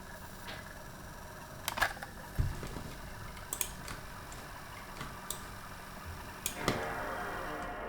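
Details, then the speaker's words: Known-working PlayStation 2 loading a game disc: soft clicks as the laser seeks, then a steady low whir as the disc spins up and reads; normal healthy disc drive spin-up. "You plug in a CD, you plug in a DVD, whatever you want, it just works, right? You just you plug that in and there it is. And the game just loads."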